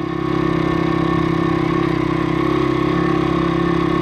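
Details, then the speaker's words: Stomp CRF70-style YX 160cc pit bike after valve adjustment (inlet 0.04, outlet 0.06): steady, even single-cylinder putter at one speed with no ticking or misses, warming up. Normal idle. "but I have started it and it does seem alright"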